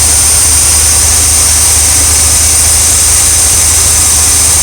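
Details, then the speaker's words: RV V8 engine with an all-new ignition system and ignition module, which had been stalling when stopped: a steady, even idle with no stumbles or shaking, better than before. It sounds healthy; not yet road-tested. "sounds so good right now. Better than the last time."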